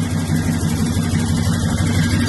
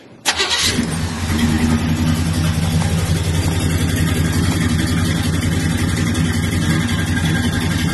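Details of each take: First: 1973 car with 350 V8 and carburetor, no air cleaner, after fix of sputtering: deep even idle running like a sewing machine, with a faint quick puffing tick from a small exhaust leak. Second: 1973 V8 donk on 26-inch wheels after a retaining spring seat fix: starts quickly and idles steady and even like a sewing machine, no more sputtering, no air cleaner on the carburetor, a small exhaust leak heard; normal start and idle.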